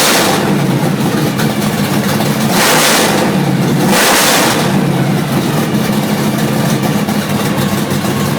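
Two quick blips of the throttle drop back to an idle that loafs and wavers unevenly instead of settling smooth. A rough idle persists.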